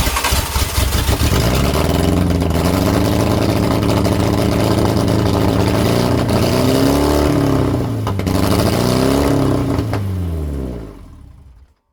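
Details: Lotus Europa Twin Cam with 123 Ignition distributor and Stromberg carbs: fires and revs unevenly around 3,000 rpm, once 5,000, pitch rising and falling; oil pressure high, charging fine; rough running suspected from spark/distributor timing.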